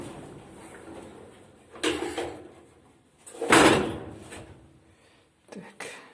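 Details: Otis 2000R elevator during car travel in the shaft: loud clattering bursts; a slackened counterweight hoist rope lets its eye bolt rattle on the counterweight bushing, though on inspection all three ropes looked normally tensioned.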